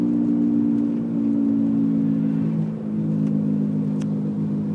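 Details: 1999 BMW 328i E46 sedan with manual transmission, driving: steady low drone over road noise, louder than the engine and disappearing when steering left; worn right rear wheel bearing, first suspected to be the differential.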